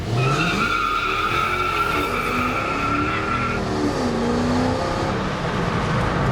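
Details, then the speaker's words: Project bakkie with newly fitted V8 on launch attempt: high steady squeal over the engine for several seconds as hard, thin tires spin with no grip. "It's just because the wheels are so hard and so thin that they can't put the power down. No matter what you do, there's just no power going down to the ground."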